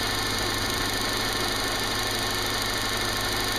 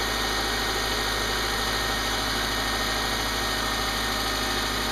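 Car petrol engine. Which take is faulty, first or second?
first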